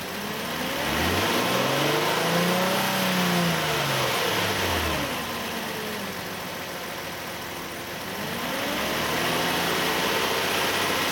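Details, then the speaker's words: 2008 Nissan Elgrand ME51 (E51), 2.5 L, about 90,000 km. With A/C on and the compressor working, a strange noise appears from about 2000-2500 rpm as revs rise and fall. Present about three years, absent when the compressor is off; cause unknown. "エアコンをオンにすると、2500回転あたりから変な音がします。"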